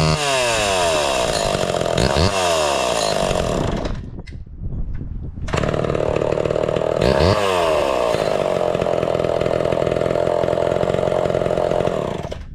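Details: Homelite Big Red Super XL chainsaw with new chain and chrome new-old-stock muffler: crisp, steady high-pitched scream at full revs, brief drop to idle, then clean revving again; healthy running.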